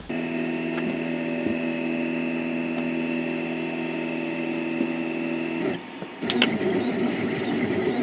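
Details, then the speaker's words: 3D printer moving its axes before rubber dampers are fitted between the NEMA 17 stepper motors and their mounts: shrill, steady stacked-tone whine; stepper vibration resonating through the frame. "le son qui se dégage à l'appui c'est complètement différent avant c'était un son aigu un son strident un style"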